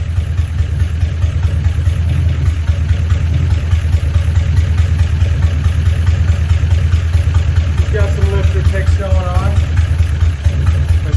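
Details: 1956 DeSoto Firedome V8, first start after sitting in a barn 24 years, running on a gravity-fed fuel supply pending a new fuel pump, before oil change and new spark plugs: low steady idle with a faint quick ticking, likely a noisy lifter.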